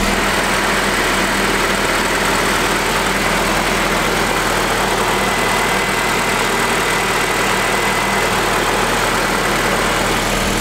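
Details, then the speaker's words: Honda Integra, ported/port-matched intake manifold with 70 mm throttle body, just started after TPS problems, cooling system being bled: steady, even idle with smooth hum and some hiss, no misses or hunting; idling fine. "just double check that everything is going accordingly but so far it's idling good so I don't think my TPS is that far"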